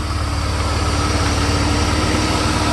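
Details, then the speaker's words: 1991 Mercedes 300E, ~180k miles, even compression, idling with AC compressor engaged after a likely stuck injector was cleared with air: even, steady low idle with faint hum, no dip under AC load; new injectors still planned. "AC is engaged, and that's basically how it runs. I think that's the best I can get this thing to be."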